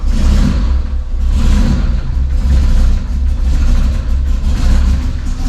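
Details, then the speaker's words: First start of a freshly built, epoxy-filled 2.55-litre forged Mazda MX-3 engine with a new turbo kit: deep lumpy rumble with uneven surging revs and heavy smoke; running rich, vacuum leaks are one cause; compression sounded strong. "running rich Jesus she runs but holy smoking out the shop that's good news though that is good news though okay why is it running so oh I've got vacuum leaks that's one reason for sure"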